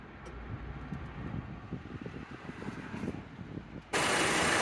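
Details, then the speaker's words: 2006 Honda Civic with intermittent A/C, relay swapped: quiet idle, then a click and step into a steadier louder hiss as the compressor clutch engages and holds; relay good, clutch working normally. "now it's engaged see that means the relay is good that's where the click sound is from so this is good"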